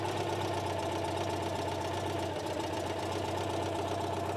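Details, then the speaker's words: 1976 Citroen 2CV6 Club, carbureted 29 hp two-cylinder boxer with a just-rebuilt carb: steady, even putter at idle, no knocks or misses; it just purrs, running smooth and healthy. "This thing, I'll start it up here in a second. It just purrs."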